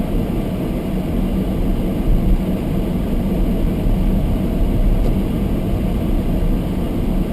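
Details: Almost-new Toyota Prius hybrid, sub-zero cold with fogged windows: heater blower turned up high to demist windscreen, steady deep even rushing roar; camera close made it sound louder than in cabin; running normally.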